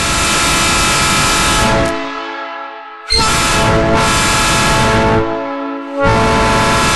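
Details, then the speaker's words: Genuine Nathan Airchime ex-Union Pacific train horn after rebuild with new double diaphragms: two long, loud, steady chord blasts, clean even tones, crisp cutoff; normal air horn chord. "So now that the horns have been rebuilt, I thought I should probably do an after for you of blowing some air through them so that you can hear the difference with the new double diaphragms in there,"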